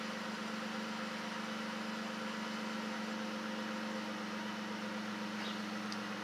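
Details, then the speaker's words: Dodge Charger V6 with a newly fitted homemade true cold air intake, still warming on a colder day so idling slightly high, a little under 700 rpm (usually 600–700 warm); smooth, even idle with no knocks or misses. Normal warm-up idle. "i'm waiting to see if the car idles down more usually when it's warmed up and idling it idles at around six to seven hundred rpms it is currently at a little under seven"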